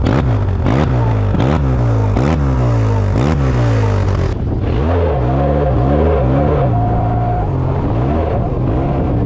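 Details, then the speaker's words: Yamaha Tmax 530 scooter at about 50,000, noise on acceleration and burning smell when cold; revs climb ahead of the drive on blips, then a thin steady squeal; CVT belt slip from a leaking variator-side crankshaft seal oiling the belt, seal replaced. "Donc c'était le joint speed qui fuyait côté variation, qui du coup ça envoyait de l'huile sur la courroie, sur les flasques, etc."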